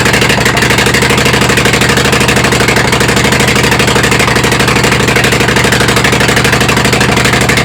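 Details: Kohler Command CH18-CH25 V-twin that ran rich and rough, now on replacement carb with throttle stop added: steady idle, about three pulses a second with slight uneven lope; still idling a bit rough.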